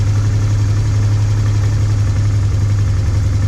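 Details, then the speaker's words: Honda Transalp 650 V-twin after new air filter and all four spark plugs, warmed up about 2 minutes: deep, steady, even idle with a faint light top-end tick; normal idle. "Спустя 2 минуты двигатель прогрелся, работает ровно, без стуков, без посторонних."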